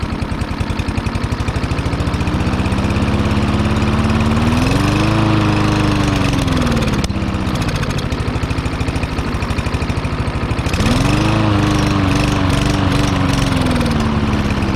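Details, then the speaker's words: Lawn mower (Troy-Bilt or Yard Machines) that sat unused, run on starting fluid while hand-choked: small single-cylinder engine pops along, speed climbing and sagging on its own; lean surging, carburetor suspected partially clogged. "I'm going to say that the carburetor is probably partially clogged up and I was able to choke it and get it running all right"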